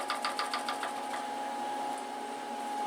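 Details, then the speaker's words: Milling machine spindle with a new belt drive and extended quill on tapered roller bearings, running at 500 rpm. Light, quick clicks and clatter over a steady hum, which quiet when the spindle is loaded by hand; spindle clicking. "see how loud it is it's just five hundred rpms and kind of hear clicking and clatter I'll kind of grab the spindle a little bit and put a load on it and it quiets down"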